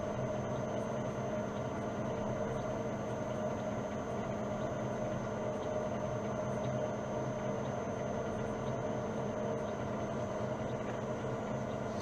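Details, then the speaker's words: Old lathe in back gear on its variable-speed drive at 45 Hz, about 205–208 rpm. Steady, even hum with a constant low whine and no knocks or rattles; normal running. "donc là je viens pointer ça tourne je mets à zé à 45 Hz à 45 Hz on est à 200 208 tours 207 tours donc on va mettre 200 205 tours"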